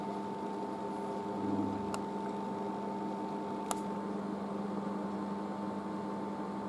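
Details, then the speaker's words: Merloni Electra WD1100 washer dryer after a 50°C cotton wash and dry: even, quiet fan hum with steady low drone, no rubbing or rattling, as the dryer fan runs in cool-down; normal. "Right, so we'll just keeps the dryer fan going, and we're off."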